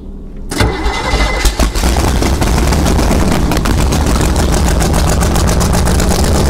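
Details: 1971 Sidewinder jet boat 454 V8, first start attempt before removal, new battery, fresh gas in carburetor: brief cranking, then catches and settles into loud, lumpy, steady idle; clean cold start.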